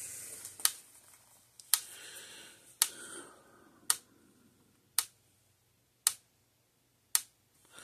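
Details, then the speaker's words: Zareba Blitzer 25 Mile fence charger, repaired for no output voltage, bench-tested into a tester before final crimping, outputting about 12,000 volts unloaded; sharp single ticks about once a second, evenly spaced, normal pulse clicking. "let's plug it in here turn it on clicking along here to my power supply or my uh tester"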